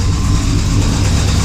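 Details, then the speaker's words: 5.3 LS V8 idling with a loud, heavy rhythmic knock under a deep steady idle, seemingly from the crank; owner suspects rod knock, cause unconfirmed. Oil pressure good; new belt and alternator but belt still squeaks, possibly power steering pump. "well you can hear the knocking pretty loud [Music] sounds like it's coming right from the crank"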